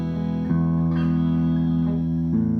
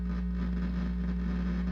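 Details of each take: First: Fender Blues Deluxe hybrid tube amp, brought in for a power issue, after repair and a new Tung-Sol 12AX7, out of standby: clean guitar chords and notes ring clearly with no crackle, cut-outs or background hum. Amp plays normally. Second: Fender Blues Deluxe hybrid tube amp, power issue reported, filter caps checked: steady low hum with a buzzy edge drones continuously as the intermittent noise returns; cause not yet traced, to be isolated with a signal tracer and dummy load.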